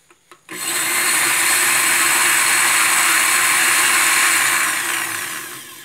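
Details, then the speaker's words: Blender after replacing its worn, loose coupling (mariposa), which had made it sound bad: spins up to a steady high whir and winds down with no rattle; normal running. "el sonido es diferente está listo para de luz muchas gracias"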